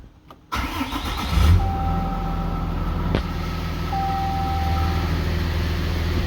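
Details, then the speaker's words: 2013 Ram 3500 6.7L Cummins with low-power complaint, no codes; start at 143 coolant, fan at about 1,000 RPM, faster than engine; steady idle with loud constant fan roar over it; fan clutch locked on. "I don't know if you can pick it up, but I mean, obviously at idle you can hear that fan."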